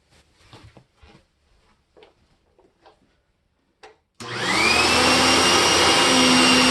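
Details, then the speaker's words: Riccar Simplicity upright vacuum after fitting a new belt and adjusting its alignment: after handling knocks the motor spins up to a steady even high whir with no belt slapping or rubbing; running smoothly. "fantastic nice and smooth I think we are good with my Riccar simplicity and the Panasonic"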